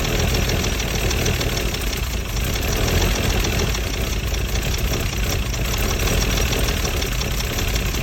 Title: W114 280ce rough idle